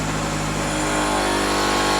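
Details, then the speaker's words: Toyota Celica GT-S, 180 hp, auction car just started after sitting, at fast idle with hood open; thin buzzy rattle like a weed whacker over the engine note, possibly engine mount suspected, cause unclear; engine rattle at fast idle. "you're just gonna ignore it close the hood and we're gonna pretend whatever's making that gone awful noise goes away oh much better I can't hear anything now it sounds like a weed whacker or something"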